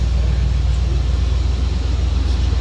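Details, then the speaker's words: 1996 Ford F-150, rolled-over truck that hadn't run in a year, running after fuel pump and gas tank replacement: steady, even low rumble with no misses or stumbles; runs good. "yeah you can go ahead and shut it off it's long she runs good I told you I never doubted you for a minute"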